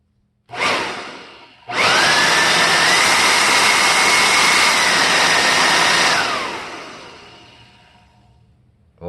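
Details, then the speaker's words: 1988 Kirby Heritage II Legend vacuum after refurbishment with new motor bearings, first power test with the motor not yet back in the housing. It spins up to a steady, even high whine with no rumble or rattle, then coasts down quietly: smooth, healthy bearings. "but do you hear how smooth this thing is now with the new bearings and everything so really wonderful"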